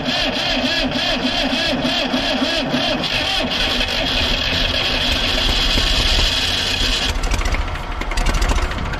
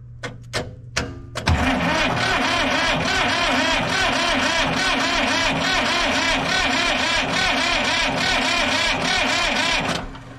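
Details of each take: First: Old diesel Tower vibratory roller compactor, sitting 30 years, first start attempt: cranks and catches with rough, uneven chatter, then fails to keep running at idle; owner suspects not enough fuel from injectors. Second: Diesel vibratory roller compactor, sitting 30 years, new starter bumped via jumper wire: even cranking about three turns a second for about eight seconds, faster than the old starter but not super fast; more muffler smoke, showing compression.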